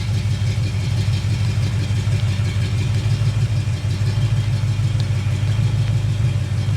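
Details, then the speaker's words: Chevy 350 small-block idling, valve cover off, after a tapping rocker nut is tightened past zero lash; the exhaust changes and idle returns to a smooth, even rumble with no ticking. "And there it goes, back to normal."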